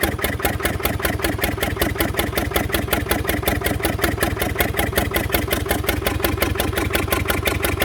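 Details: Fordson Major diesel tractor wreck, previously seized, first run with temporary crank start and jury-rigged tank feeding injector pump directly, bypassing filters, rings possibly stuck; loud, slightly uneven fast-idle chugging with ragged exhaust, rough running, cause unconfirmed.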